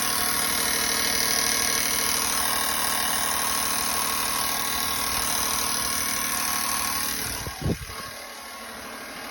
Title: 2017 Silverado ticking noise after dod delete